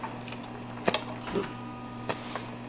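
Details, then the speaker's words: Marshall DSL 40CR tube amp bought used, warming up: steady mains hum with irregular sharp low pops and crackles that grow louder as the tube warms; one output tube failing, amp otherwise still functions. "But it's making a kind of low popping sound."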